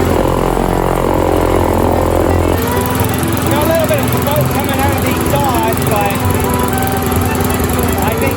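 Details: Yard Machines by MTD mower with Briggs & Stratton 158cc 5HP 500 Series engine, after repair (carburetor diaphragm and gasket kit, foam air filter, fresh gasoline) of a no-start and smoking condition: steady even buzz, no misfire or hunting, smoke gone; normal running.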